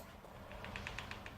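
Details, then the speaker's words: Quick run of light, sharp ticks, about eight a second, as a sliding wardrobe door moves: the top roller has a burr or bump on it, possibly from assembly or a factory defect. "бугорок на нём до неровность какая-то когда ты катаешь дверь звук слышно"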